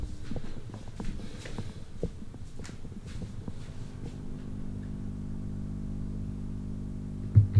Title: 5cm thin, 40cm round LED Ceiling Light from eBay...emitting annoying buzzing noise